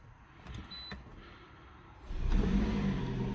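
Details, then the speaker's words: Hybrid car after 12 V battery replacement (AGM, 325 A cold cranking): a few quiet clicks, then a steady low hum as it powers up cleanly with no error codes; after 3–4 minutes idling it switches off into EV mode, normal start-up. "what I've done is I've just left the car ticking over and after about 3 or 4 minutes the car switches itself off and basically gone into EV mode so that's really good that means it's happy with the battery"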